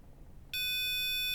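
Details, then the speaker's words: EMS VCS3 synthesizer restoration: a multimeter on the envelope generator pot lug and edge connector pin B29 stays silent, then gives a steady continuity tone when the wire is pulled, revealing a cold solder joint. "Can you see that when I pull on it? You get the continuity beep. So, what this means is that particular wire has a cold solder joint."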